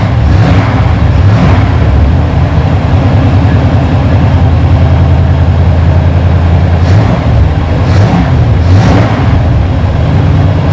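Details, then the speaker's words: 1947 Ford street rod V8 with ram-horn manifolds, after diagnosing a dead miss and reinstalling spark plugs and custom wires: smooth, even burble with clean revs rising and falling without stumbling; all cylinders firing, miss fixed. "well that was good that was all it was"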